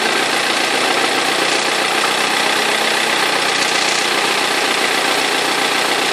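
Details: 2003 BMW E46 320d diesel idling: a harsh, busy clatter and rattle on the engine note from a perished crankshaft pulley vibration damper, knocking and rattling; both belts eventually fell off.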